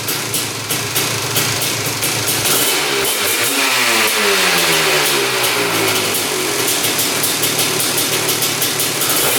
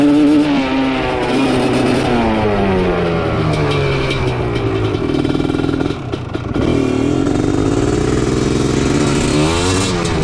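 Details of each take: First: Honda TRX250R two-stroke with 310cc big-bore top end in a TRX450R frame, warmed up: crisp blip drops straight back to steady popping idle without hanging, so no air leak; coolant leak seen, possibly near pipe-to-head joint. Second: Honda TRX310 big-bore two-stroke quad with a 250R engine, running with no airbox or air filter. Revs climb and fall with a ragged, stumbling crackle as it breaks up at three-quarter throttle. An airbox may help, otherwise it needs rejetting.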